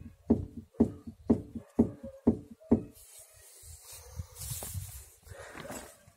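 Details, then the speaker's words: Passat B5 / Audi A4 lower rear (bent) control arm levered with a pry bar: six sharp, evenly spaced knocks about twice a second from ball joint play, which causes knocking on small bumps; arm needs replacing. "слышите этот звук вот это то что вас стучит на мелких кочках"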